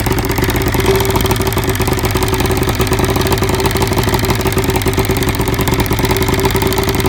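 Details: 1975 Evinrude 70 hp outboard: rough, lumpy idle with uneven stumble as cylinder 1 misfires from spark arcing down the plug porcelain; fixed by cleaning carbon from the boot, new plug and grease on porcelain.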